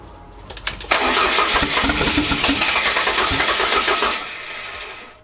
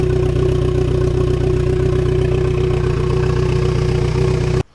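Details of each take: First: Fiat Coupe 16V Turbo after restoration and engine reinstall, with swapped fuel-rail inlet and outlet lines corrected: a short crank, then it catches and settles into a smooth, even run with no misses or knocks; clean start. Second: Fiat Coupe 16V turbo, started after a restoration and engine reinstall, with fresh coolant added and bleeding: the engine idles with a steady, slightly uneven pulse; fine at idle but rough after revs, and a vacuum leak or throttle body issue is suspected.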